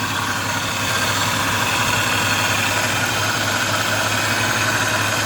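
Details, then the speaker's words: Cooling fan on an overheating vehicle filled with water only, idling while warming up: steady airy rush over even idle, no rattle or wobble; fan works properly, not the cause (clogged radiator and bad cap found as the problem). "Okay, so the fan is working perfect. Yeah. So the fan is not a problem."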